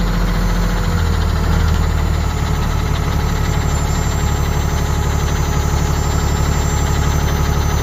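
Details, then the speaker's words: Ford Cargo 0813 library bus motorhome being recommissioned, diesel at idle: loud, rough idle with a sharp puffing chuff on every firing pulse; the exhaust pipe is falling off and broken somewhere, an exhaust leak. "It's broken somewhere. I don't know where it's broken, but it's broken somewhere. I can hear it."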